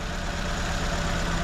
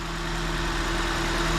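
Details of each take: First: 2004 Nissan Sentra at idle, no misfire codes, only an air-fuel ratio sensor code: uneven, lumpy idle with a low shaky rumble that keeps stumbling; injector wiring pulses fine, so one cylinder likely misfires from a clogged fuel injector. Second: 2004 Nissan Sentra after replacing a bad fuel injector (coil and plugs were not the cause): even, steady idle hum with no stumbles or shaking pulses; misfire gone, normal idle.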